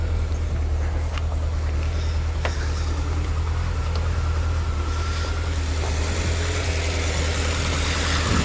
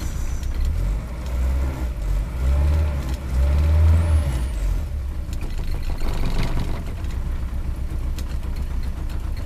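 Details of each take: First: Rover P6 in cold weather, started after about three weeks sitting, choke on: steady, even low thrum at raised idle with no knocks or misses; normal idle. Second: Rover P6 idling cold with the choke nearly in: lumpy, uneven idle but it revs with no coughing or spluttering; the loose rattle over it comes partly from a door left ajar.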